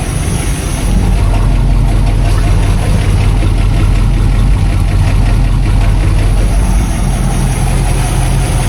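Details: 1959 Plymouth Fury V8 just after a new fuel pump was installed and primed, and oil filter seals were upgraded to stop an oil leak: deep, heavy burble holding a steady idle on its own without stumbling or surging; fuel pump works.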